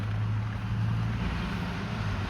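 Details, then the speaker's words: Range Rover L322 with a newly fitted £40 replacement blower motor: steady low whooshing roar with a faint hum underneath at a higher fan setting; the new fan wobbles badly on its shaft. "It doesn't look promising, does it? Look at the amount of wobble on it already. Oh, it's got loads of wobble on it."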